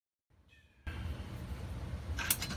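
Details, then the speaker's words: Pioneer CLD-53 Elite laserdisc player tray loading mechanism during cleaning, before re-greasing: dry raspy gear whir and sharp scraping chirps because the loading gears have no grease. "there's probably a couple more spots I can hit you know why it sounds like that cuz there's no grease"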